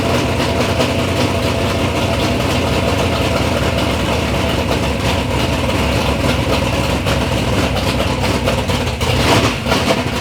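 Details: Third-gen Camaro with big-block Chevy V8, first start-up after years of building: deep, even rumble at a steady idle with no knocks or misses; normal, healthy idle.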